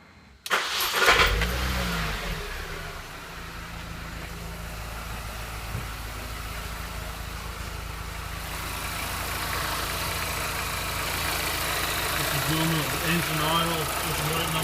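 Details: 2005 Mini Cooper S petrol engine fires with a brief harsh clunking rattle, hot or cold, then settles to even idle; also noise backing off from 3500-4000 rpm; new timing chain tensioner didn't help; cause was loose flex plate bolts.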